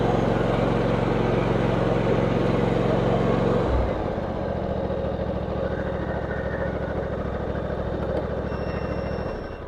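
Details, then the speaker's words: John Deere X320 riding mower, 513 hours, after sitting for a couple of years: small engine runs smooth and even, settling to a slightly lower speed midway, no knocks or misses; runs great. "yeah so it runs great it sounds awesome like I said 500 and 500 and 13 hours so runs great"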